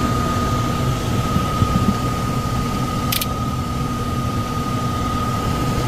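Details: Likely downstairs furnace unit, call for fan not turning on: steady droning hum, thin high whine, shaky rumbling undertone; blower vibrating. Tech suspects overamping and shutting off, bearings sound clear but loud on startup; will check rated amps and capacitor.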